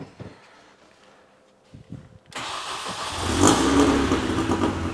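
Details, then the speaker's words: First start after fitting a new intake and intercooler: quiet handling noises, then the starter catches and the engine fires into a steady, even idle with no knocks or misses; the crew expect it to be loud and high-pitched under throttle. "Voilà, si elle fait ce bruit là, je me doute bien qu'avec un coup de gaz, ça va être quelque chose après, ouais."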